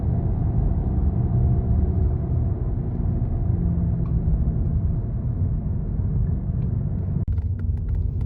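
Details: Electric vehicle rolling along: a low, steady droning rumble with no engine note, from a bad wheel bearing that is especially noticeable in an EV.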